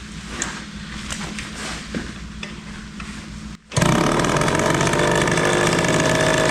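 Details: 1974 Indian ME100 barn-find motorcycle on its first start after sitting, with the spark plug acting as kill switch: the engine catches and settles into a steady buzzing idle that runs too high.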